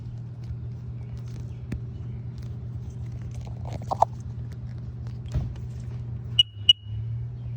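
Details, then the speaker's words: 2008 Sea-Doo GTI 155 SE after replacing a bad DESS post and resoldering its connections: with the fob on, two short, clear high beeps about a third of a second apart over a low hum. The DESS key is read correctly. "that sounds promising"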